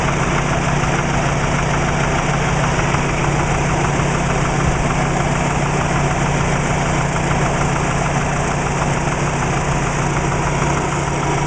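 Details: Subaru Legacy with WRX boxer engine at idle: steady idle with light quick even ticking knock on top; described as piston slap.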